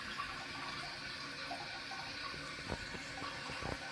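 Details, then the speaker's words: Toilet dripping and refilling by itself for months, tested with a Korky Universal Ultra 2" flapper: a constant hiss and trickle of water into the bowl that never stops; the chain is stuck underneath the flapper, so it won't seal. "And I noticed that this chain is actually stuck under the under it's stuck underneath the flapper."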